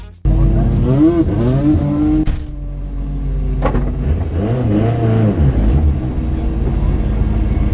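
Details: Rally car on the Padmore Village to Golden Grove stage, Rally Barbados 2017, with a strong, even note climbing and falling cleanly through the gears at full throttle and no stumble or miss: a healthy race engine under load.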